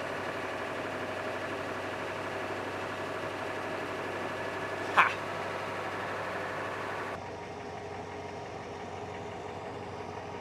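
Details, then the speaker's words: 1987 Ford F350 6.9 IDI diesel auction truck, first run after purging air from the fuel system: even, steady diesel idle with smooth rhythm, no misses or extra knocks; sounds healthy. "[Music] [Applause] thing sounds good too so yeah the gauges don't work at all so that mileage there who knows that's different from the gauge though"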